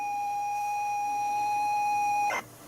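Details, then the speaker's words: ZX Spectrum 128k +2 tape deck loading Equinox: a clean, steady high leader tone holds about two seconds, then cuts off. This is a normal loading tone, though the owner still thinks the deck plays fast. "Yeah, well, it's just, I don't know why we're playing fast, but that sounds better, doesn't it?"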